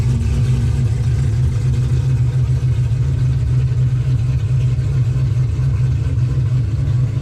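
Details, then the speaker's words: 2005 Pontiac GTO idling: deep steady hum, no knocks, misses or ticks; engine healthy, though car slips above four or five mph, fault suspected in the rear differential. "Yep. Motor sounds good."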